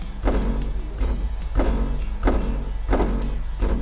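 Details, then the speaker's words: Hyundai Ioniq 5 EV door, panel off, door knocked: bursts of loose "dorok dorok" rattling buzzing on after each hit; shakes badly from small impacts, thought fixable with sound-deadening work. "떨림이 상당히 심하네요. 작은 충격에도 도로록 도로록 떨림이 심한 것 같습니다."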